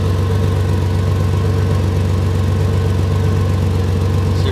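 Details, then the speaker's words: 2004 Ford Ranger at idle, microphone at an exhaust leak just ahead of the flex pipe: deep, even puttering puffs, roughly two a second, as unmuffled exhaust escapes; soapy water confirmed the leak before a temporary patch. "so basically what's going on is exhaust is able to escape right in this area right here and it's kind of causing a puttering kind of blah blah blah blah blah kind of noise and that's allowing a lot of that unmuffled exhaust noise to get out of the exhaust pipe there"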